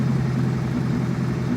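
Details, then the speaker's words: Chevette running Keihin CV motorcycle carb rack after swap: new main and idle jets, idle circuit reset, carbs sealed, runner hose clamps reseated; dead cold start, runs much better, idle slightly wobbly with faint rise and fall, still needs carb balancing. "Starting to read. She's a little wobbly,"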